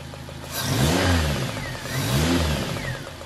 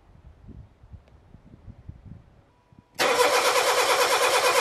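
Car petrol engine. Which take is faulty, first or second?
first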